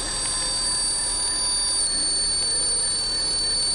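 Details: Running petrol engine with a steady high, bell-like ringing buzz; it changes pitch when the area is tapped. The cause was a loose intake manifold cover, fixed by tightening all its bolts.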